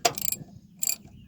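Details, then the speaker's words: Cat 955L track loader: rapid ratchet-like clicking as the brake/steering pedal is worked on one side only; owner suspects a broken brake band on that side; not confirmed. "Well, if I step on the damn pedal, now I got it under tension. How the hell did they get that thing on there? Alright, it's gotta be looser. What is that clicking noise?"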